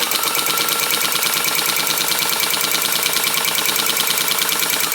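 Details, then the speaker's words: 1923 Singer 99k sewing machine, restored, sewing with the bobbin now correctly seated. A fast, light, even clicking rides over the motor hum; it is the hook knocking back and forth, which is normal for this machine (it has oil holes for a drop of oil). "And the little clicky noise that you hear, that is just the way it is. The way that the hook moves, it knocks back and forth."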